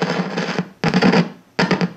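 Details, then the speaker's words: Known-bad 6SL7 preamp tube tapped on a microphonic analyzer and heard through a guitar amp: three loud bursts of crackling, booming rumble, each sharply cut off, from a microphonic tube. "you heard that on your guitar amps before now you have a way to detect that problem before you install that tube in your amp"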